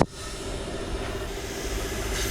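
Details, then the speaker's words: 2000 HP modular race engine under exhaust pressure test: steady airy hiss over a low hum from a pinhole in the header at the cylinder 7 EGT spot; a big leak, header must come off for repair. "we found a pinhole actually in the top of the EGT on the number 7. This is a big leak."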